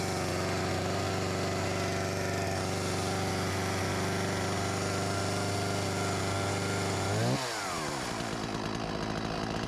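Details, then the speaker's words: Husqvarna 254 G chainsaw, after fuel line replaced and carb refurbished: steady, even two-stroke idle holding one pitch, a touch fast, short dip near end; idles well, slightly high, near clutch engagement. "- and it sounds quite good, maybe a little high idle speed"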